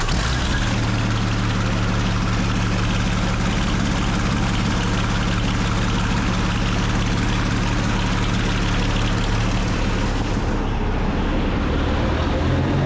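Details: Original WWII Maybach HL230 V12 Panther tank engine after tune-up and lowering idle via the accelerator linkage; deep, smooth, even rumble, steady and unbroken throughout; normal running, clean and healthy.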